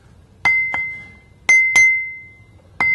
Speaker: we can clearly hear the ring when we tap this wheel so it doesn't look like it has a crack